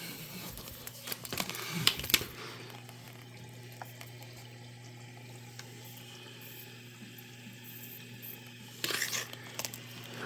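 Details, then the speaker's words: Dishwasher diagnosed for not starting, after drain phase ends: soft steady trickle of water over low even hum, no knocking or grinding, no leak underneath; normal water fill. "there you go it stops and I can hear the unit filling"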